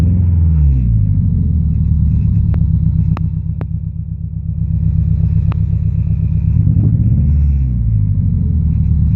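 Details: Low engine drone with an uneven, lumpy pulse about four per second and dips in the rhythm, like a cylinder dropping out; owner suspects a misfire, running on three cylinders, unconfirmed.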